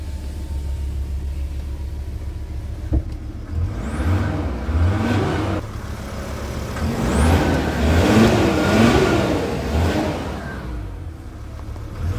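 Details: VW Crafter diesel after the vibration-cracked EGR corrugated pipe was brazed with brass: revs rise and fall cleanly with no hiss or exhaust puffing, so the repair is sealed and the engine healthy.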